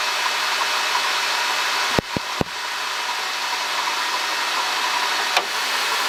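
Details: 2005 Honda Odyssey (registered Nov 2005, 268,167 km, CVT) at idle: constant hissing whirr with a couple of sharp clicks from a worn water pump bearing; replacing the water pump, thermostat, thermo switch and coolant cured the noise.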